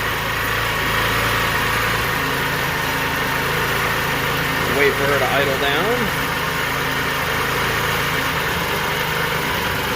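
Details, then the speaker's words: Scooter with a newly installed clutch just after a cold start: quick, steady idle a bit above normal with a busy mechanical patter as the enricher holds it up; normal fast idle. "the enricher just came on so the backfire should spin when the enricher comes off the back tire should basically stop spinning if it just does a tiny tiny little bit it's not a big deal"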